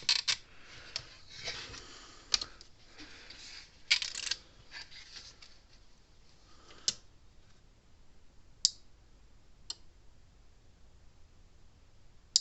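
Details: Gallagher Power Plus S50 solar fence charger on a bench supply, switch acting up: sharp crackling snaps a second or more apart over near silence as it pulses slowly face down (night mode), each snap from the transformer arcing inside.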